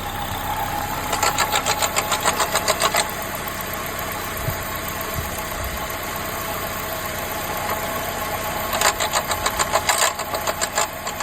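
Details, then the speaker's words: 2004 Honda CR-V K24 engine on cold start: fast metallic chatter, three or four clicks a second in short bursts over the running engine; worn VTC actuator rattle, to be fixed by replacing the actuator and VVT oil control solenoid. "It's got the K24 in it, and I am having the VTC rattle, chatter, whatever you want to call it."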